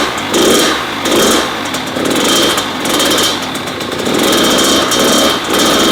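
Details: Kawasaki KX100 two-stroke after first top-end rebuild and exhaust gasket and fuel fixes, in break-in: crisp high-pitched revving in clean repeated blips, no pinging or misfires; normal running.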